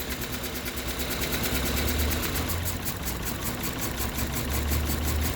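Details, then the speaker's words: 2007 Toyota Corolla CE idling in reverse/drive, lumpy and shaking with uneven low throb; cylinder 3 misfire code persists after swapping parts. "um we so it's it's showing as a misfire in the cylinder 3 um we actually swap you know swapped them out and and still the same"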